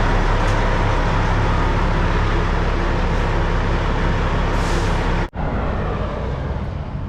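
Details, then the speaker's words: Diesel truck running at low revs as it backs out of the building, recorded indoors so slightly distorted, after the exhaust was reassembled and clamped: a steady deep rumble with no blowing or ticking, and the exhaust is now much quieter. "I'll let you hear it as I back it out of the building. I mean, yeah, it's going to be a little distorted because I'm inside the building, but you can hear how much quieter it is."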